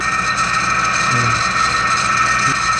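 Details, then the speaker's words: Window-type aircon condensing fan motor after bearing replacement, bench test: smooth, even airy hum with steady fan tone, no grinding or rattle; quiet, normal running. "Ayan na mga boss kung napapansin niyo ang ganda na ng tunog niya hindi na siya maingay kagaya kanina"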